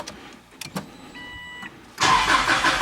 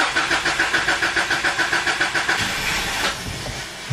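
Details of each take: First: 2004 Subaru Legacy Outback wagon after in-tank fuel pump filter replacement and priming: a few quiet clicks, short pump hum, then the engine catches cleanly into a smooth idle; healthy start. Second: 2004 Subaru Legacy Outback wagon, fuel pump fuse pulled to depressurize fuel before in-tank fuel filter change: starter cranks steadily about 3.5 turns a second, engine fires briefly then dies; fuel depressurized.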